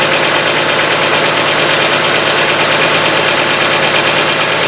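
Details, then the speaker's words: Hyundai Getz, fully cold start after a day parked, old oil: fast, sharp metallic hydraulic lifter ticking about two per second over cold idle, lasting about a minute, longer in winter, then stopping. "Зимой, конечно, он по времени подольше стучит, пока прогревается. В холодном автомобиле, в холодном моторе звук присутствует."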